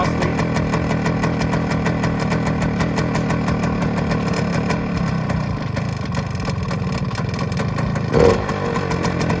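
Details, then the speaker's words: 1971 Suzuki TS185 two-stroke at its first start after sitting for years, on choke, smoky, and not yet able to idle. It runs fast and uneven with a sharp, regular puffing tick over the exhaust note: exhaust leak. "that sounds really [Music] good exhaust Le for sure exhaust"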